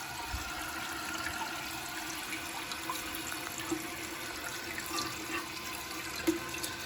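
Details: Toilet tank after replacing all the tank plumbing to fix constant running: soft, steady hiss of water refilling to a lower water level with no gurgle, whistle or endless trickle; flush and refill working normally.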